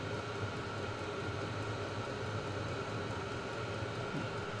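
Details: Vevor 5 kW diesel parking heater on kerosene and a 12 V car battery, at full heat. Heat exchanger 60–99°C. Steady even roar, constant fan whine, no surging or popping. Burning smoothly, normal.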